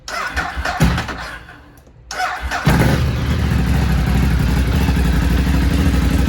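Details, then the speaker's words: Ducati 848 V-twin just after a fuel filter change. The starter cranks briefly, then the engine catches and settles into a steady, even, lumpy idle with no misses; normal start and idle. "I would recommend if you start the ignition, you hear a vroom. That's your fuel pump. You hear that your fuel pump is sucking fuel, and it helps you to make the filter quicker full."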